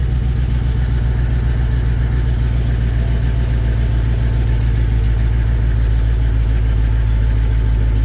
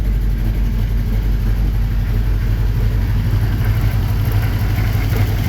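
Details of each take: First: 1954 Chevy 3100 V8 after filling radiator with water and clearing code with OBD2 reader: deep steady idle rumble, even beat, no misfire skips; sounds much better than before. Normal idle. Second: 1954 Chevy 3100, cold, with a little rev: lumpy idle with a deep, uneven thump that skips a beat, one cylinder not firing; owner unsure which, plans to check injectors and plug leads.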